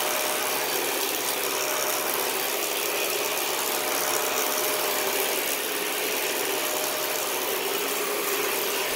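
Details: 2013 Dyson DC41 Animal Complete upright vacuum, used and under warranty: steady high whirring rush with a faint thin tone on top; an abnormal brush roll noise has returned and the owner plans to clean the brush roll again.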